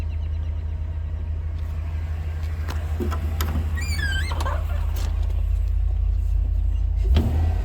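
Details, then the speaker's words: 2004 Chevrolet Silverado 2500HD 4WD 6.0-liter with rodent wiring damage, throttle body replugged with harness on factory box instead of shorted spare: low, steady, much slower idle rumble with small clicks; engine settled, fixed. "Okay. Sounds like it's idling a lot slower now."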